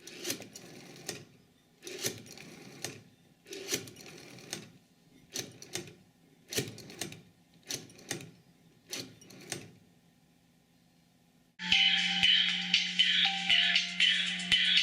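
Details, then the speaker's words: 551A PBX cord switchboard: the operator dials the requested outside number over the outgoing trunk to the central office. About eight quick click bursts roughly a second apart, one per digit, then a steady tone; normal pulse dialing. "The operator can now dial the number requested by the calling party."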